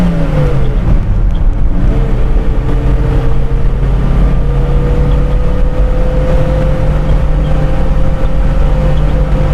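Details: Toyota Kijang Super 5K carburettor secondary barrel test, driving in 1st/2nd gear at high RPM: engine pulls hard, pitch climbing then holding as secondary seemingly opens around 60 rear vacuum reading; normal.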